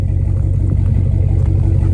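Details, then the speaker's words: Farm truck at idle after a budget exhaust was fitted: deep, even burble with no knocks or misses, quieter than expected, though a small leak at the exhaust clamps; normal idle. "All right, so we got her all running like a champ. Sounds pretty good, a lot quieter than I thought. It's got a little leak by these clamps here."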